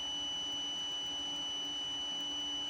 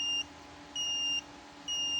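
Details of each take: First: Photocopier optical sensor (ER5000/Advance type) on a digital sensor tester: steady high-pitched buzzer runs unbroken with no cut-out when covered, indicator light dim; faulty sensor, no switching response. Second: Photocopier sensor tester (digital sensor test tool for ER5000/Advance machines) with a good optical sensor: clear high beep about half a second on, half off, repeating evenly; goes silent when the sensor is covered, normal healthy response.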